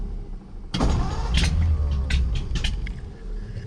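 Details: Car ("the 40") that used to start right up; after choking and one pump, owner fears it is still flooded. Uneven, lumpy cranking with a burst at the start, never catching into a steady run: cranks but won't start, cause unclear.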